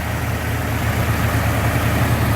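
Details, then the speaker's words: Restored 1989 Jeep Grand Wagoneer with new fuel injection and belts and hood insulation; quiet, low, even idle rumble with steady beat and no ticking or knocking. "imagine new fuel injection belts and a lot of other parts but what makes a difference is that being quiet is the hood insulation"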